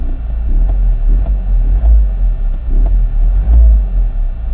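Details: 2004 Toyota Corolla 2.0 D4-D diesel, right after a highway run to clear deposits and a battery reset of the engine warning light: deep low-rev drone with a slow throbbing pulse every half second; cause unconfirmed.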